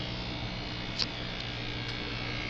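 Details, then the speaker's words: Admiral 30A1 vintage black-and-white TV with split sound IF, after a miswired capacitor was corrected, fed through RF input and tuner: decent picture but no program sound, only a steady raspy vertical sync buzz; cause unknown. "i get a decent picture here but no sound and i get a little bit of sync buzz you can hear the vertical sync buzz"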